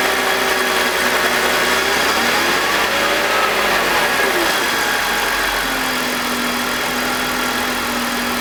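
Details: BMW E46 with M52TUB25 engine at idle, VANOS disconnected: steady even idle with faint whirring overtone, no grinding, no RPM drop. Owner suspects the VANOS causes a grinding noise, worse at startup, heard when connected. Normal idle.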